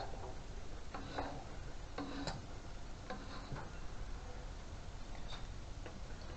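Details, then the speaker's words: Tecumseh Lawnchief mower standing about 5 years unrun, spark plug out: slow uneven pull-start cranking with a sharp pop from the plug hole each stroke; compression seems good, recoil starter seemingly slightly sticky. "And quite possibly, by the sound of it, it's got compression. Yeah, you can hear it going pop."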